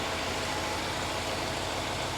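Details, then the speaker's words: 2011 Range Rover Sport HSE Luxury after blown head gasket repair, previously smoking, leaking coolant and misfiring: even steady idle with smooth low hum and no misses, knocks or stumbles; running cleanly. "she fires right up now how about that I am I'm beyond happy with this car it's come such a long way from where it started"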